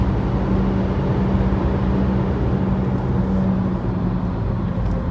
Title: Mini cooper f56 making recurring humming noise, bad wheel bearing noise